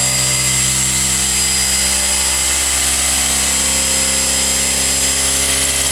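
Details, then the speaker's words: Series (universal) motor after load testing up to about 9 units of torque, running fast at just over 4,120 rpm: a loud, steady, high-pitched whirr with brush hiss, even speed and no knocking; normal high-speed running. "So it looks like I got up to around just over 4120 RPM. So that's pretty fast motor."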